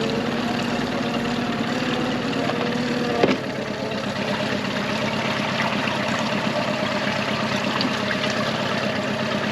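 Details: 2001 Yamaha 15hp four-stroke short-shaft outboard, sat in a barn 5 years, after full service, running in a test tank: steady, even idle with one brief knock from handling partway through; runs smooth and healthy.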